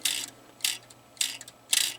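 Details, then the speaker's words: Airport electromechanical pinball machine during repair after swapping playfield rollover switches: four crisp ratchet bursts about half a second apart over a faint hum; normal stepping-mechanism noise all such machines make, unheard during play. "And if the noise that it's making, they all do that if they're, you just don't hear it when you're playing it."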